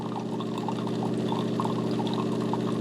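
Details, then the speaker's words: De'Longhi TrueBrew CAM51025MB mid-brew, relatively fast, with coffee temperature starting around 160° and ramping up. Steady low pump hum with a gentle trickle of liquid running over it, even and unbroken; normal brewing pump and pour. "I enjoy the coffee's coming out it is a relatively fast coffee maker"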